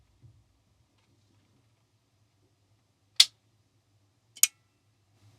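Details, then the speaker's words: Soft-start circuit for a 1kVA isolation transformer (NTC thermistor with relay bypass, RC delay nominally about 1.8–2 s), microphone close to relay: crisp click then a second about a second later over faint hum; relay pulls in cleanly after delay. "All right, I'm hearing a delay of the relay switching on. Okay, listen carefully. And there we go. Going to put the microphone close so you can hear the relay."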